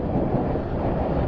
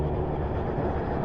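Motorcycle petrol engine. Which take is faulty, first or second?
second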